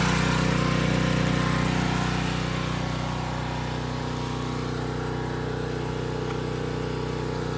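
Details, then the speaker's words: Predator generator running steadily under load with a sound barrier fitted; loud, even drone that settles slightly lower, meter reads quieter with barrier though it doesn't sound much different. Normal running. "alright so that is actually quite a bit quieter with that sound barrier according to the meter it doesn't really sound like that big of a difference"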